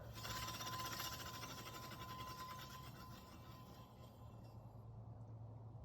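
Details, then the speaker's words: Juiced HyperScorpion e-bike front disc brake: rhythmic scraping swish about three times a second as wheel spins, pads rubbing rotor because the outside caliper piston binds; rotor shows burn marks, no squeal. "It's just a lot of rubbing. The outside piston's binding up."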